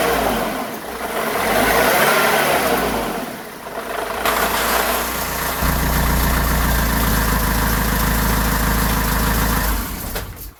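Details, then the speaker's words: Renault Trafic/Vauxhall Vivaro/Nissan Primastar F9Q 1.9dCi diesel van in top gear: steady low drone under the engine persists after replacing the long right front driveshaft and bearing; wheel bearings and suspension recently new; owner suspects gearbox bearing. "bad news it still makes the noise so fortunately we're going to have to be removing this gear box unfortunately it didn't work out with the replacement of the long drive shaft it was in the bearing there and it's probably uh 99.9% my gearbox"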